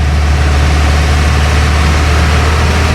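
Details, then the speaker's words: Bayliner cabin cruiser MerCruiser inboard, rebuilt after previously overheating to 250–300°, now idling warm at about 150–175°: deep steady rumble with no misses or knocks; normal idle. "butas now when I idle it nicely like this uh get up to temperature um spider's really happy it gets up to um just over well up to 150 175 which is about right sort of Midway and it's just what you want"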